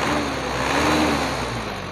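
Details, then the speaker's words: Diesel with distributor-type Bosch injection pump after regulating valve failure repair and pump timing adjustment, air filter fitted, in neutral: revs up cleanly, then settles back to idle without stumbling or stalling; normal again. "kita gas ya, naikin, kemudian turunin, apa dia mati apa enggak ya. Kita lepas sekaligus gasnya teman-teman. Alhamdulillah sekarang sudah normal kembali ya, nggak mati ya."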